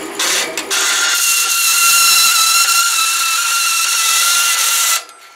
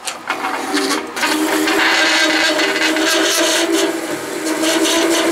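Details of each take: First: Delta saw converted to metal cutting with a DC motor on a VFD at about 22, wrong blade, cutting aluminum: piercing high steady screech above the motor throughout the cut; cause unknown, possibly the saw frame chattering. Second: VFD-driven Delta saw converted to metal cutting, about 100 feet per minute, fine-toothed blade slowly cutting one-inch-thick steel: steady grinding buzz, holds speed, no stall or VFD overload trip despite an earlier overload.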